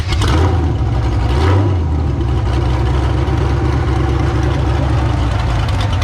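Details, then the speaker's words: Figure 8 race car running after power steering pump replacement and air bleeding; strong, steady low rumble with a slight rev blip, then an even smooth beat. Engine sounds healthy, ready to race. "ow she's running good pretty much ready to race"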